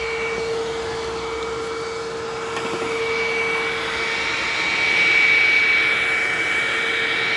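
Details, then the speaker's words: Hoover WindTunnel self-propelled vacuum, free used unit, running on carpet at high setting: high motor whine whose tone fades and shifts partway through; runs very oddly and won't turn off normally, cause unknown. "boy it runs weird it runs very oddly"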